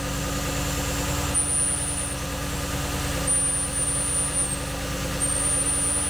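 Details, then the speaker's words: 2013 Porsche Cayenne S 4.8L V8 at idle after startup: constant loud hissing suction over engine; withered, broken air-oil separator diaphragm drawing in air, a big vacuum leak; check engine light with MAF implausible codes; fix is diaphragm replacement. "so as you can hear from the startup of this one it actually has a pretty big leak it's trying to draw air in there and you can hear that uh loud hissing noise"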